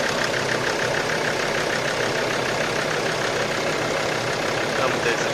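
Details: Engine keeps a loose, uneven knock at about three per second over a steady idle on the sixth flush run (fluid fed into the pump inlet, about 22 minutes); knock did not go away, cause unknown.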